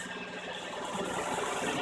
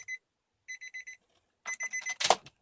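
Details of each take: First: 2004 Nissan Murano at idle after cracked exhaust downpipe flex pipes were cut out and new ones welded in: soft even hum with no puffing or ticking from underneath; exhaust leak fixed, normal idle. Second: 2004 Nissan Murano engine start on a hoist; after warning beeps it settles into a loud, raspy puffing idle from a cracked header flex pipe on the exhaust downpipe, fixed by welding in new flex pipe: exhaust leak.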